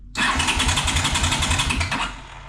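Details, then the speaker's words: 1982 Honda GL500 Silver Wing motorcycle, about 43 years old, before repair: it catches and runs with a fast, sharp ticking clatter over an uneven beat. A timing chain and valve adjustment is planned. "It makes a lot of noise. So, we're going to do the timing chain adjustment. We'll do a valve adjustment."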